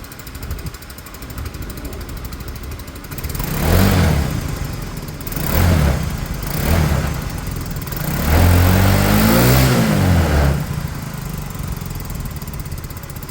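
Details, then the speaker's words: Peugeot Tweet scooter, reassembled after diagnosing an ignition issue: small single catches and settles into an even idle, then takes three or four clean rev blips with no knocks or rattles; sounds smooth, fixed. "great sounds smooth"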